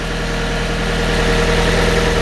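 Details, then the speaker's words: Fiat 500 with 67,000 miles, first start after a timing belt replacement, having sat without oil running for a while: smooth, steady idle with an even beat, no knocks or whines, some steam from oil residue; normal idle. "Actually sounds really sweet. It's a bit of steam from, and it's a bit of, you've got to remember there's a lot of oil residue on this car. Sounds good, guys. Sounds sweet as a nut."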